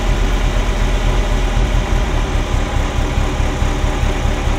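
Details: Ferrari Mondial V8 at idle, timing mark not visible; deep, lumpy idle with one or two lurches per second, like an old marine engine; misfire on cylinders 5-8, owner suspects a timing sensor, unconfirmed.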